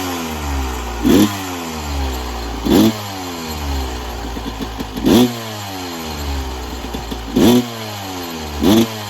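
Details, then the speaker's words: 1996 Yamaha YZ250 two-stroke after carb tune-up with factory stock carb settings (previously weird low-end idle, suspected pilot jet), still a little cold at about 13 degrees: crisp ringing idle between five quick blips, clean rise and fall, no bogging; sounds much better. "Well, I'm gonna have to say that was a victory. Sounds a hell of a lot better."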